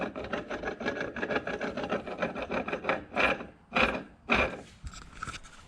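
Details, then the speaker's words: Old LSA supercharger snout, Caprice PPV, damaged during a pulley swap: turned by hand it rasps and catches roughly with rotation instead of spinning smoothly; the snout was replaced. "it's not supposed to sound like that. It's supposed to turn very smooth. You're not supposed to hear any catching or grinding at all."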